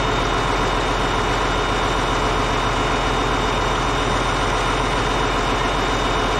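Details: Caterpillar D8H bulldozer (46A serial, year unknown, No. 28 cable control unit) running after sitting 15+ years, once fuel reached it: dense, even diesel clatter at a steady idle, no misses or knocks, running good. Normal idle.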